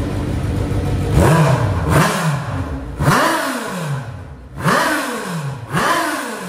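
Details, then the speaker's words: Suzuki GSX-R 1000 engine in a dirt track dwarf car after new spark plugs (old ones very rich) and cleaned injectors: five quick throttle blips, revs climbing and falling cleanly with slightly raspy exhaust, running right. "that's right now we got that's that clean Chris rail of a Gixxer engine you heard it that's the way it's supposed to sound"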